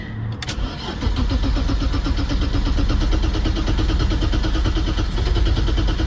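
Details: 1990 BMW 535i E34 inline-six that had not run in years, on a shorted battery helped by a jump pack and motorcycle battery; fuel pump heard pecking, starter churns steadily for several seconds but never catches; crank no start from no fuel delivery.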